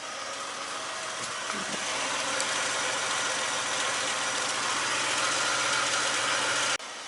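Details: BA Ford Falcon started after fuel filter change and fuel system priming, no fuel leaks; smooth even idle with steady hiss over a light regular beat, no misfires; normal idle.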